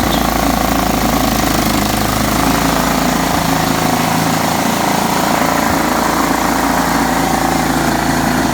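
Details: John Deere STX 38 riding mower after a little tweaking and a new battery, mowing: the small single-cylinder engine holds a steady, busy drone under load with no surging or knocking. Normal running.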